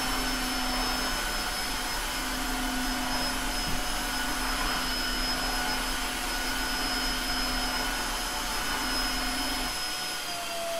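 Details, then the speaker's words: Tineco iFloor 3 wet/dry floor washer running as dry vacuum, recorded at user ear level with Tascam DR-05: steady even motor whine with constant high hiss and low hum, no pitch wander or rattles; normal healthy vacuum motor. "wow the sound profiles in wet and dry mode are about the same judging from the last test"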